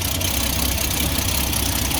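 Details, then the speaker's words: Ford XG ex-police divisional van, started after the exhaust manifold was retightened: quieter than before but uneven, slightly rough idle with a sharp ticking puff on each firing pulse; exhaust manifold joint still leaking out the top. "you can definitely hear an exhaust leak still down there. It's running a bit rough."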